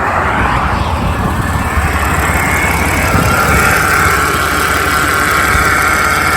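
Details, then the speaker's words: Mercedes R320 CDI diesel just started after fitting a new aftermarket serpentine belt (old belt shredded, tensioner failed): usual diesel clatter with a thin, steady whine at idle, suspected from the power steering pump; not confirmed. "oh there's some noises going on in here assembly power steering pump that is a heck of an early too"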